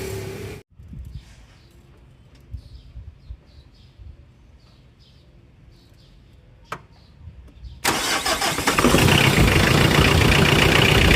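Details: Mitsubishi Adventure 4D56 diesel with a no-crank, no-start fault, after the starter was repaired and refitted: quiet, then a short crank and the engine catches at once, settling into a steady, even diesel clatter idle. Normal start.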